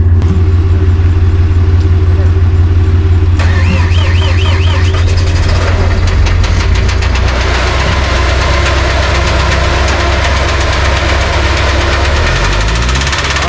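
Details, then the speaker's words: Cummins QSB 4.5L diesel cranked, started and revved hard: heavy rhythmic hammering over the clatter; teardown found slack wrist pin with missing small-end bushing and slight witness mark on pin, connecting rod small-end knock. "the knocking and slack that's what all that hammering was so got it just in time there"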